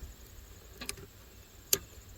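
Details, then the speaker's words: 2014 Ram 1500 4x4 5.7 Hemi no-crank, starter relay bypassed: two faint sharp solenoid clicks a second apart with no cranking; starter not turning, found to have a corroded starter motor terminal. "you can hear the starter solenoid click slightly so this thing needs a starter"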